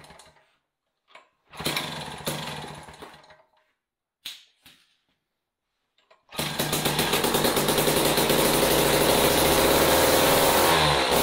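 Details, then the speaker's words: Jiffy Model 30 ice auger, unused several years, last on ethanol gas, on cheap premixed fuel with choke and prime: a few pulls and sputters, then steady even two-stroke buzz running off the carburetor, slight four-stroking. "well I don't know what you guys but I can pretty much guarantee that was running off the carburetor"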